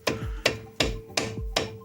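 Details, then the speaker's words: Mazda CX-5 after caliper repair, front left brake: sharp hollow clunks about three a second as the loose pad slaps the caliper; guide pins have no play. "Также колодка бьёт по суппорту. Сейчас приклеим и бить ничего не будет."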